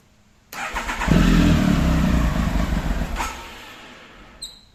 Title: triumph tiger won't start